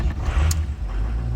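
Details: 2006 Ford F250 6.0L diesel with erratic low injection control pressure: heavy low rumble as it finally catches after long cranking; hard start caused by the injection pressure regulator (IPR) solenoid, replaced as the fix.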